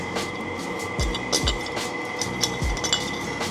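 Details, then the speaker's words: Honda Civic D-series engine, failed AC compressor clutch (common on these, belt had been cut); irregular metallic clinking and clattering from the front of the engine as the worn clutch rattles. "That's not what your clutch should do. Clutch is shot. It's kind of a common thing on these uh D series ones."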